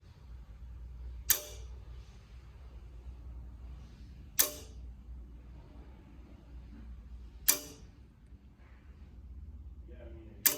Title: Clicking Sound In Wega Giemme Module